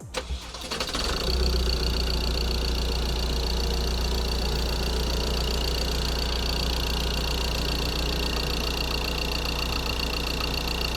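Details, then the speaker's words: 2013 Ford Transit 2.2 diesel after full engine rebuild, first cold start of the morning: catches quickly and settles into a steady even idle with uniform clatter, no misses, knocks or smoke; healthy. "Now it's a cold start, and we're gonna try to fire up and show you guys how it sounds."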